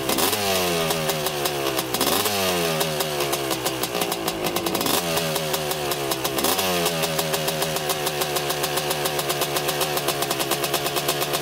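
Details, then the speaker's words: 1985 Honda CR250 two-stroke dirt bike on a quick test ride after cleanup, previously breaking up around three-quarter throttle: crisp note revving cleanly up through each gear, pulling without missing or bogging; running great so far. "all right so far running great i was just taking it for a quick test drive just to see if it would run good and so far so good"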